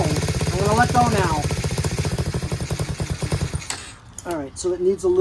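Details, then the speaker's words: Chinese Tao Tao 125cc ATV quad with new carburetor, on choke: uneven popping run picking up only when blipped, then dying after a few seconds; idle speed set too low, idle screw to be turned in half a turn. "bit of uh idle I'm going to turn the idle Jet in or the screw half a turn see if it stays running on its own without me holding it"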